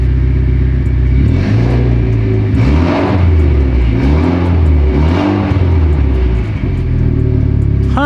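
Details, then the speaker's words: Turbo car, after a solenoid was cleaned with brake cleaner and the code cleared. The code used to set when revving between 2,000 and 3,000 rpm. Now revs smoothly to mid range and back with no stumble. Normal revving. "i think it's fixed what are the chances i'm gonna let it run and see if it'll come back on"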